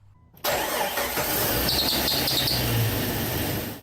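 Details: 1999 Jeep Wrangler TJ, 4.0L, 5-speed: engine cranks and catches with a thin, high chirping belt squeal over the start-up roar; owner suspects the tensioner idler pulley, not confirmed.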